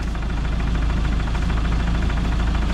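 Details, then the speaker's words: Land Rover Defender diesel idling in neutral: dull, uneven thumping clunk under the clatter; owner suspects the worn clutch and is having it replaced with a L.O.F clutch and Ashcroft output shaft, after which the noise disappeared completely. "kind of clunking noise and i think personally that might be the clutch and that's the reason why i'm getting the clutch done"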